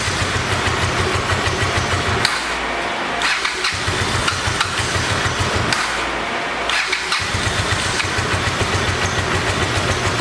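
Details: 1986 Honda VT500 Shadow V-twin, revived after years sitting, idling while warming up: lumpy uneven twin beat dropping out and picking back up; rear cylinder still not firing, owner suspects ignition coil or mice-eaten coil wire, checking spark.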